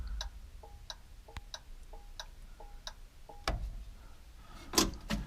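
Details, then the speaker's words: 1961 Ford Falcon, 144 straight-six, abandoned 20+ years, after new starter relay: crisp tick-tock about twice a second, steady clicks with dash indicator flashing; turn signal flasher cycling normally. "sounds like we got a turn signal you can see it kind of flashing in the dash there"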